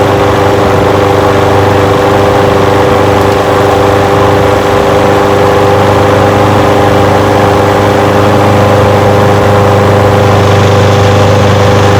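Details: Old curbside Craftsman push mower with a Briggs engine, first run after revival: smooth, even single-cylinder idle with a steady pulse and no stumbling. It smokes a little. Windy outdoors. Normal idle.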